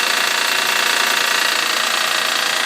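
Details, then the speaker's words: 2007 Honda Pilot cold start on a morning in the 50s °F, seemingly near the timing belt end: a fast, even ticking over the idle that fades over about 30 seconds as the engine warms; source unknown. "I don't know exactly where it's coming from but as the engine Wars up it gradually goes away should be able to hear it going away here in about 30 seconds getting quieter and quieter"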